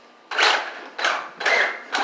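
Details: Overpowered RC car (Senton) run on 4S instead of 3S: harsh ratcheting grinds in bursts about every half second as the drivetrain turns; stripped differential input gear, crown gear likely worn too.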